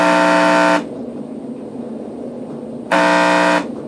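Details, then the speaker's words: Graco paint sprayer pump motor, recently serviced, powered directly: a loud harsh buzz for under a second, silence, then again; it strains to turn but something is stuck inside and it stays locked. Seized motor, needs replacement motor 233815. "so as you can hear it's trying to force itself to move and there's just something stuck inside of there"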